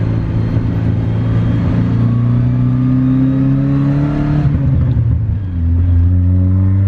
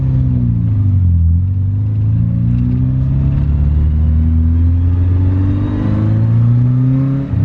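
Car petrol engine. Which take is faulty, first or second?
second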